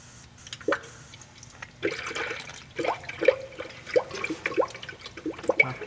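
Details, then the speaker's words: Bleeding the cooling system with the bleeder on the thermostat housing loosened a turn or so while filling with coolant: irregular wet gurgles and spits every half second or so as trapped air escapes through the open bleeder. "okay you can actually hear the air that's escaping this uh breather"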